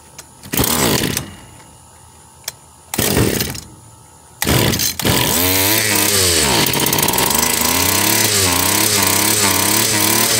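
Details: Stihl FS 76 brushcutter, probably over 20 years old: three pulls, then catches with a high buzz rising and falling unevenly; carburetor barely moving fuel, sounds decent now but may fail cold, suspected worn.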